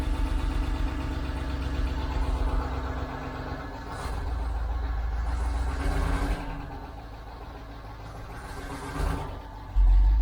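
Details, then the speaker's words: 1989 Range Rover Vogue SE V8, cold first start after long standing: uneven puffing chuff over the low idle rumble; a definite exhaust blow located at the exhaust manifold. "uh radiation loow a blow on the exhaust there definitely a blow on the exhaust just about here it"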